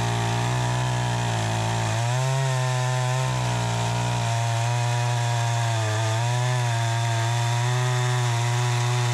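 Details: Troy-Bilt 20" two-stroke chainsaw after carburetor adjustment, cutting wood: a strong, steady buzz holds revs as the chain bites, with no bogging or surging; it cuts better than ever, though the owner thinks a bit more RPM is possible.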